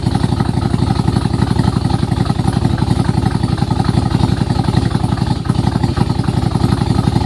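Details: Nissan Z31 on a very cold morning; loud, choppy chuffing at about four pulses a second with a cam-like lope, caused by the timing belt being one tooth off plus exhaust leaks from a broken head stud, a cracked manifold and a broken manifold-to-crossover stud.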